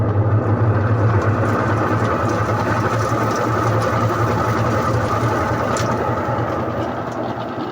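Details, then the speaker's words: Used automatic washing machine on spin cycle after a silent, normal wash test: steady loud mechanical drone with rough rattly hum; the spin section of the gearbox is faulty and making noise. "ਆਹ ਇਹਦੀ ਆਵਾਜ਼ ਸੀਗੀ। ਠੀਕ ਹੈ। ਇਹਦਾ ਮਤਲਬ ਇਹ ਆ ਕਿ ਇਹਦੇ ਗੇਅਰ ਬਕਸੇ 'ਚ ਸਪਿਨ ਦੇ ਵਿੱਚ ਮਸਲਾ ਵਾ। ਇਹਦਾ ਸਪਿਨ ਦਾ ਨਾ ਜਿਹੜਾ ਹਿੱਸਾ ਉਹ ਖ਼ਰਾਬ ਆ, ਸ਼ੋਰ ਕਰ ਰਿਹਾ ਵਾ।"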